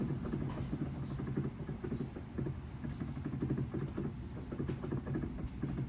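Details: Samsung inverter washing machine after a DC motor rewind (previously knocked and failed to spin): low soft hum with gentle uneven pattering as the drum turns slowly to weigh the load three times, no grinding or knocking; motor works normally.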